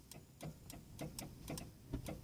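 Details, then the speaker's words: Western snow plow 12 V pump at about −26 to −35 °C: sharp dry solenoid clicks about four times a second with no motor hum; solenoid works but the motor doesn't run, suspected dead motor, later replaced. "Maybe the motor just gave up the ghost. Solenoid's working, but it's not working. The plow's not going up."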